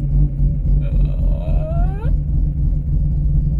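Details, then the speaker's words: Bridgeported race-extension Mazda RX-8 rotary, first start after sitting, battery disconnected, still cold: deep, lumpy rumble sagging and hunting toward a stall. It can't hold idle yet; owner waits for the oil to warm up. "yeah that's gonna stall let's wake him back up there we go so yeah that's not working currently"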